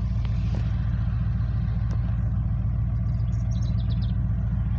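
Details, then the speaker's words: Ford truck (one of a 1999 F250 5.4 and 2004 E350 5.4 V8) started in rain; deep, steady V8 idle with even pulse, no misses, ticks or knocks, condensation from exhaust; starts right up every time; normal idle. "run's perfect yes i hate when it when there's rain on the ground it smells oh yeah of course it's always got condensation coming out of the exhaust this truck always does but it starts right up all the time"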